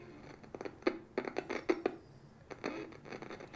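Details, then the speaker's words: Simpson Sears model 12360 radio, likely mid-1970s, on AM: faint, very quiet audio with slight buzz and irregular scratchy crackles as the volume knob moves; dirty scratchy volume control suspected, to be cleaned with contact cleaner. "It's very quiet. And this volume control is so scratchy that, it might not be getting through the volume control."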